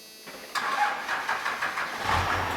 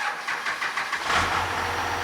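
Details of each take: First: 12-valve Cummins diesel after going in one click on the governor springs, on a weakening battery: brief cranking, then it fires and holds a dead steady idle with no governor bounce or hunting; normal idle. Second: 12-valve Cummins diesel during governor and idle spring tuning, on a run-down battery: starter turns over in slow labored pulses for about a second before the engine catches and idles; slow cranking from a weak battery.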